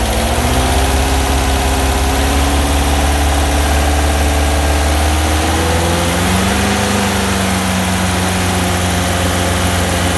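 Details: Bus air-cooled engine at a deep, uneven idle with a wavering whirring tone sliding in pitch; engine noise at idle, source unclear.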